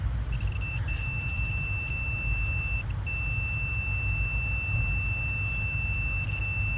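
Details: Multimeter continuity test on cylinder 5 fuel injector, compared with open cylinder 1 injector; spec 12 to 15 ohms: steady high-pitched beep held for seconds over low background rumble; continuity, so the injector coil is intact.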